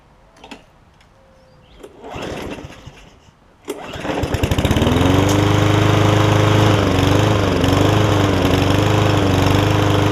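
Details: Yard Man self-propelled push mower with Powermore engine, long-sitting, start attempt on fresh gas with choke after cleaning the carb (top jet not cleaned); a few pulls, then it catches and runs steadily and evenly with no misses. Running normally.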